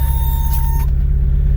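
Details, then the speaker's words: 1988 Toyota 4x4 5-speed pickup with the 22RE four-cylinder, cold start in deep snow country; a deep, steady low rumble with even firing and no knocks, settling into a smooth cold idle. Normal cold idle. "let's go see if i can start this thing so yeah good cold start video for sure"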